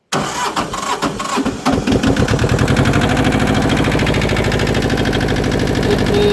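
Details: 1979 Yanmar 1500D diesel tractor being woken up, running on homemade replacement fuses with a warning light on: the starter cranks briefly, then the engine catches and settles into an even steady idle clatter with no odd knocks; sounds healthy.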